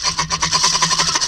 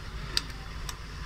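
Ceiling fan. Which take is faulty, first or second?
first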